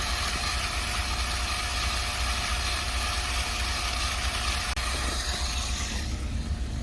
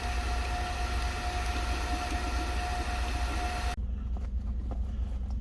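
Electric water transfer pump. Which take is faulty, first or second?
second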